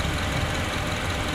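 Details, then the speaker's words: Honda CR-V second generation idling after the valve cover was removed and the timing chain damper area checked for a klotok/kletek noise: steady, even hum with no ticking or strange noises, warming up until the fan comes on; normal idle. "hidup bunyinya juga enak ya nggak ada apa ya nggak ada suara aneh-aneh ya"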